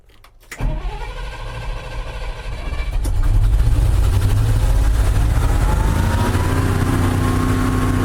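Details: $1,400 auction dump truck: the engine catches and roars, then a thin screech rises over the rumble as the starter stays engaged and is spun by the engine. The owner is unsure why, and the RPM gauge has just stopped working.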